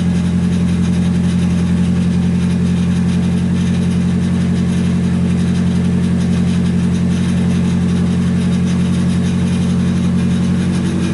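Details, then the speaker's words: Nissan 240SX S14 freshly swapped to an SR20DET, first start after fixing a fuel pump plug that wasn't fully seated: steady, even idle with a smooth low drone and no knocks while warming up; normal idle. "now we know the fuel pump primes we fixed it so hopefully it'll start [Music] it works"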